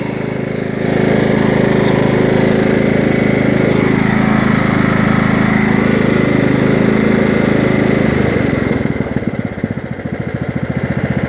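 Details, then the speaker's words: 1998 Craftsman DLT hydrostatic lawn tractor, 16.5hp Kohler Command, freshly tuned up with a new fuel pump and a rebuilt carburetor: steady, even single-cylinder beat at low then full throttle, no misses or knocks; smooth with plenty of power. "low throttle full oh so as you can hear it has plenty of power runs smooth"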